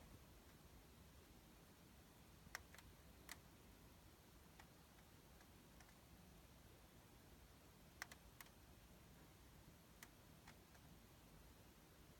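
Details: Sony Bravia KD55X8509C TV makes faint sharp clicks at irregular intervals, roughly one every few seconds, in a quiet room; the set clicks repeatedly, cause unknown.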